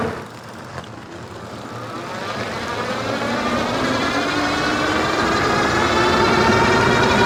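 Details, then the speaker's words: Wallke H7 AWD e-bike, 48V 40Ah battery, 750W front geared hub motor, microphone low near front wheel: whine climbs in pitch with a pulsing wub over tire noise at full throttle and high speed; seemed absent in PAS 4. "way a all right so you can hear there with the microphone down below hopefully a little bit better the w w noise it was making now that's usually when it's full throttle getting up to high speeds"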